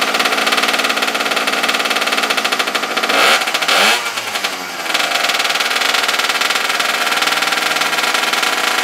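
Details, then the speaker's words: Abandoned small single-cylinder engine, choke on, after regapping the plug for weak spark: fast steady buzzing crackle with a brief throttle blip midway, then settles; firing and running properly. "Sounds pretty good. Sounds like it's lighting finally."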